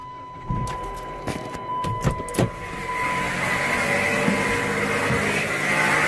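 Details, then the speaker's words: Car raised on a lift with a rust spot at the alternator: a rough rushing whir and a faint steady whine over the idle, from alternator bearing noise and worn idler pulleys. The belt was to be removed to spin the pulleys. "As you can see, all this rust spot right here at the alternator. The problem is likely the alternator, but I'm not a firm believer in guessing."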